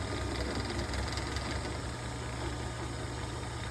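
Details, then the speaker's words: General 340 drill press running with the bottom cast-iron belt guard removed: a steady low hum from the motor and belt, running evenly with no rattling. The motor moves slightly more than before. "So here it is without the bottom of the belt guard. No rattling noise."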